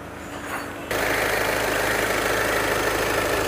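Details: VW Jetta 2.0 TDI diesel with a complaint of cooling fans running constantly (codes P011700, P218400): engine catches and settles into a steady, even idle with a smooth hiss, fans not roaring. Normal idle and normal fan operation.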